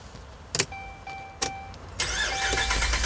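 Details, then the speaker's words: 2011 Ram 1500 crank-no-start, two fuel pumps already replaced; starter spins engine at steady cranking rhythm but it never fires; no fuel pressure because pump not running, likely no power supply to it. "hit it yes no fuel pressure all right guys uh i got a pretty good sense of what's going on in fact um we're not getting any fuel pressure because we're not getting any because the fuel pump is not running"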